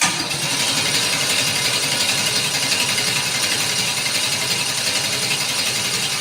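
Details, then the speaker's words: Engine with new Holley Sniper 2 fuel injection, oil pressure up: hissy scraping whir as it cranks and catches; starter pinion dragging slightly, owner plans to remove one starter shim. "I need to adjust the starter just a little bit. I need to take one of them shims out. Need to take one of them shims out. You hear how it's dragging just a little bit?"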